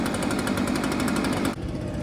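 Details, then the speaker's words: Echo backpack blower two-stroke, found locked up, now running on ethanol-free fuel at 25:1 mix: buzzes hard and fast at high revs, then throttle drops away; runs freely, very smoky from transmission fluid put in it. "thing runs great it's just uh very smoky because of the transmission food bu it didn't burn off didn't burn out of there"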